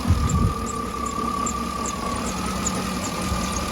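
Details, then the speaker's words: 2009 Cadillac Escalade V8 after replacing the oil pickup tube, oil pressure now 39–40 psi at idle versus 19–20 before, small leak present: smooth low idle, faint steady whine, no knocking or ticking; normal idle. "she cranks up a lot of like like a lot better there's that leak right there so I'm just going to let it get up the temperature sounds good other than that little jump"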